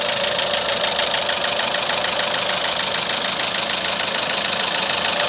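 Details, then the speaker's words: Renault Megane 3, K4M petrol engine, idling: steady sharp knock a little over three times a second, sounding like a diesel; cause the original cam phaser (variable valve timing unit) knocking, removed for disassembly. "вот значит фазовращатель с двигателя рено оригинальный мотор к 4-м застучал сейчас будем разбирать и смотреть что у него внутри"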